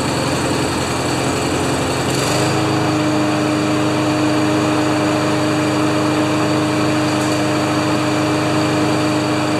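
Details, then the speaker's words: Honda GCV190 engine on a neglected Craftsman mower that came in as a no-start: after a few pulls with choke on it catches and settles into a steady, even buzz with no misses or knocks, a good start. "that's a good start eh"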